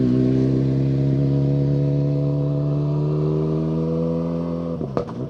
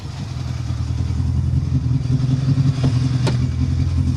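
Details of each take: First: Ford Fiesta World Rally Car passing on asphalt rally stage: strong, clean engine note with pitch sliding down under steady load; normal engine note. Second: Renault Clio rally car during a tarmac rally stage: low, lumpy rumble with an uneven, stumbling beat. Major low-down misfire present since before stage one, car limping through.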